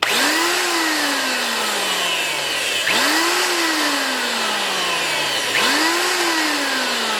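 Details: Old Sears router, no bit fitted, after its stuck throttle cable was freed with oil: pulling the cable engages the motor, which spins up to a clean steady whine and coasts down about every three seconds. Smooth, no grinding or rattle; runs freely.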